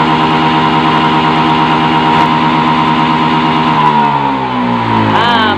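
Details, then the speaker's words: Honda Beat FI scooter that dies when hot: held at sustained high revs about four seconds, then abruptly stalls and winds down, MIL blinking code 52 (CKP sensor); fuel pump reportedly already replaced. "Dia nih mati ya. Ketika mati perhatikan tuh lampu milnya, nah berkedip."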